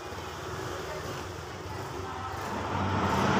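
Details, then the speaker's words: Vario 125 FI scooter after rebuild with new piston, previously noisy piston: smooth, even note building steadily, no ticking, knocking or rattle, no smoke; healthy. "hai hai the best sekarang untuk karena sudah ringan untuk kondisi suara sudah halus ya karena ini Krisna sudah baru sama kampret sudah baru dan juga sudah tidak berasap"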